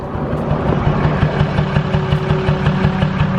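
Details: Nissan 350Z pulled over while running badly, smelling odd: uneven lumpy idle at about three pulses a second, stumbling beat persisting after restart; random misfire, owner suspects injector or spark plug, unconfirmed.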